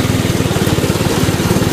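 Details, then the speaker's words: Go-kart single-cylinder small engine after a valve adjustment, on a cold start: even, fast putter at idle with a steady rhythm and no misses. Before, it wouldn't idle until warm; now it idles much better and is more responsive. "I mean it's idling much better super cold start it is definitely more responsive up for sure"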